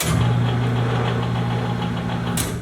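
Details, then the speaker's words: Katool KT-T800 tire changer turntable, new garage install, run forward via foot pedal: steady low electric motor hum with slight mechanical whir, even and unchanging; turntable drive working normally. "You can hear the electronic motor kicking on."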